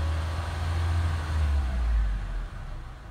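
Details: Car engine at idle with a new battery just installed after a dead battery, one brief rev under load test; low steady rumble rises smoothly and settles back with no stumble, sounds healthy.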